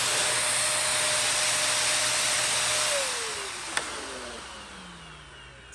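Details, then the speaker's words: Everstar VC-9550 upright vacuum switched on at the workbench: a steady, high, airy whine at full speed, then the pitch sinks as the motor spins down after switch-off. It has a clog in it. "let's turn it on oh yeah this thing's got a clog in it let's do this outside cheap junk"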